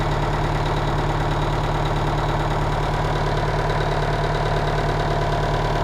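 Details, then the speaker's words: 1985 Kenworth cabover diesel truck, parked and sitting for weeks, idling with a steady, even low chug and no knocks, misses or rattles; it started on about one roll; a normal, healthy idle. "man i love this truck do you hear how it turned over like one one roll and it was running and it's been sitting here"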